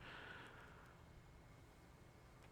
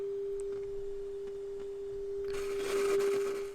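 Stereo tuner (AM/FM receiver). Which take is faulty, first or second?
first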